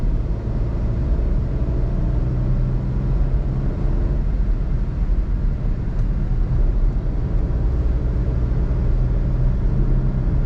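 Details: 2021 Suzuki Alto VXR/VXL 660cc cruising steadily with air conditioning on: low, even rumble with no knocks, whine or uneven beats. Sound barely differs from AC off; healthy, normal running.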